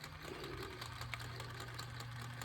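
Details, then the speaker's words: Axial SCX10 Pro RC crawler with rear driveshaft removed, on bench; light fast rhythmic clicking over steady low motor hum; owner almost positive it is inside the transmission, not confirmed; drivetrain clicking. "And we're still getting that clanging noise. I'm almost positive it's in the transmission."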